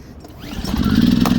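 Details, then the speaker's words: Portable recoil-start generator, pulled by hand with choke on before charging a Tesla: quick pull, engine catches within half a second and settles into a steady even chug; clean normal start, then choke pushed in and eco mode set. "All right, now let's go ahead and pull this and see if we can start it. I don't know if I can do it with one hand, but let's try."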